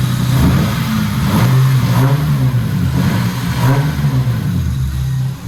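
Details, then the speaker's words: Lexus SC300 being finished with fitment, power steering and cooling system work, blipped lightly to about 1,500–2,000 rpm: smooth, even rise and settle with a clean deep note, nothing untoward; normal light revving. "Those are baby revs. That's probably like 15, maybe 2 grand. Sounds really good."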